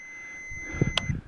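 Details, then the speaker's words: Kohler M20 engine stator on Bolens 2000, multimeter continuity/resistance test: clear steady high beep about a second, reading about 0.2-0.3 ohms, not open; winding intact. "and the bottom one here gives you a sound along with it so if you're not directly at your meter to look it'll make a noise saying that there's resistance within the two"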